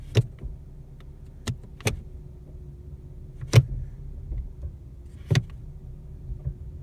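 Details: New 2017 Ford Mustang V6 automatic, about 580 miles, at idle: sharp metallic clunks each time shifted from P to R, D or S; driveline clunk on gear engagement.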